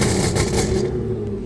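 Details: Audi A6 3.0T with test pipes, downpipes and a Motorsport crackle tune, heard from inside the car before fitting the Gibson muffler. Sharp gunshot-like pops crackle through the exhaust as the revs drop, alongside the loud rasp.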